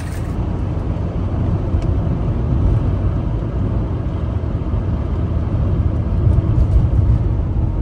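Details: 1980 Mercedes 300SD turbo diesel, 141K miles, starts easily with no excessive smoke: steady low idle rumble, even and unhurried, with no knocks or rattles; engine sounds mechanically sound.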